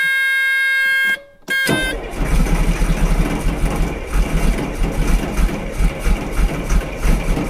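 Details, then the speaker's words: 2000 Cat 563D ex-USMC vibratory roller, Cat 3116 diesel, 25 original hours, cold start (engine described as cold natured): steady buzzer, brief crank, then catches into even deep chugging idle; healthy cold start. "this has the 3116 cat in it they're a little bit cold natured so we'll turn her on here and see what she does"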